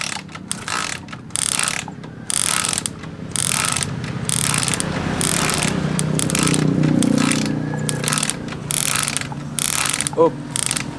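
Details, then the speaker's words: Suzuki motorcycle ignition coil spark test, Smash coil compared with the standard coil. Sharp, irregular crackling snaps about four a second over a quiet background; the Smash coil's louder crack shows a bigger, healthy spark. "Suara benturan kumparan lebih keras, lebih seperti suara berderak atau patah. Jadi percikannya lebih besar, kawan."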